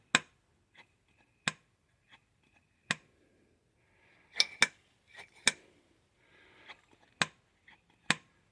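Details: Lotus Elite Stromberg carburetor, rear carb with a new diaphragm, piston lifted all the way up and released: sharp single clicks as it drops back fast with no lag; the earlier delay was the diaphragm, now sealing properly.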